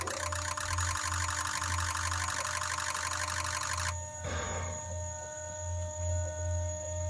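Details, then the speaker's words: Ford 6.0 Powerstroke diesel with a misfire, key-on before cranking: loud steady fuel pump drone under quick, slightly uneven injector pre-cycle clatter lasting four seconds; the fuel pump is noisy and the clatter is slightly off. "this one has the noisy fuel pump, that's what we hear right there, but also you hear that pre-cycle clatter. Didn't sound real bad, but it was off a little bit."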